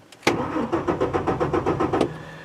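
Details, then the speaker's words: 2003 Ford F-150 4.2L V6 on a cold December day, intermittent crank-no-start: starter cranks evenly at about six pulses a second, never fires; fuel pump whines abnormally; fuel pump replaced. "I do hear the pump doing something but it doesn't sound quite right and it's not I know that the pump is getting power because I can hear it doing some kind of whine back there but it's not the right sound"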